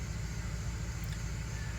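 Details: 2006 Dodge Ram 1500 Mega Cab V8, just after new valve cover gaskets and fresh spark plugs, a bit hard starting: deep steady rumble with an even beat, no stumbles; no misfire, running on all eight.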